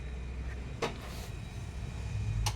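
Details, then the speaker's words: TCL washing machine being repaired (motor replaced), spin-only 3-minute test with wash and rinse at 0: low steady hum, then a sharp clack as the drain motor pulls the rubber drain plug open; drain system working. "gumana, narinig ko. Hinila niya yung yung drain plug doon na rubber."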